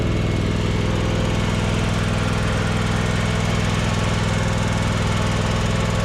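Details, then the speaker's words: John Deere X320 riding mower bought running: a steady single-cylinder idle with a light, regular tick about twice a second on one side; owner suspects a bent pushrod, possibly from a backfire, rubbing the pushrod tunnel. "sounds like a tap on this side kind of like a bent push rod"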